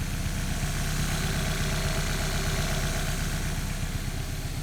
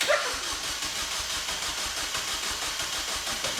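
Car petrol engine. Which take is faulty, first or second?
second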